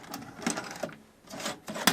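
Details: VHS video recorder ejecting a cassette, no loop of tape left behind, judged a good working machine: short motor whirs and crisp clicks in quick bursts, no dragging or grinding; eject mechanism works properly.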